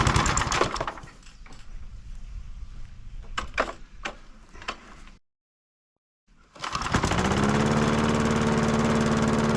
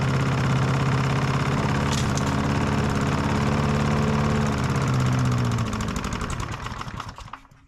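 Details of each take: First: Old Masport mower, about 35-40 years old, sitting unstarted about six years, fresh oil and fuel added: after a few pulls and a pause it fires and holds a steady, even mower drone; running properly. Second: Old Masport mower, about 35-40 years old, sitting about six years on old fuel that no longer smells like fuel: uneven chugging beat with faint rattle, fading and dying after about six seconds; rough running, stale fuel suspected, plug and fuel to be replaced.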